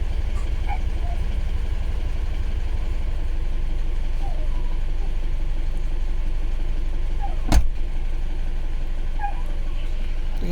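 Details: Isuzu Alterra diesel idling with misfire and low power (injector group B supply voltage low; fuel pressure okay): pulsing, uneven beat about three per second; injector 3 positive wire shorted, disabling injectors 2 and 3.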